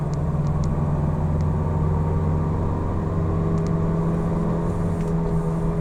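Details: Falken FK510 tires: steady, even, unchanging low hum and drone while cruising, like loud tread noise coming up from the tires.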